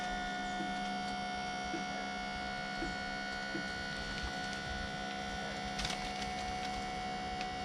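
Constant electric whine holding an even pitch as the pump works against a heavy load; the pump is running normally.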